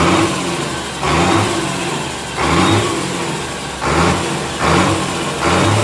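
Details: Komatsu S6D125 diesel test run after a general overhaul for engine noise, a broken piston 5 and spun conrod bearing 4. Crankshaft, liners, pistons, bearings and turbo replaced or repaired. Revs rise and settle cleanly and evenly, no knocks; healthy.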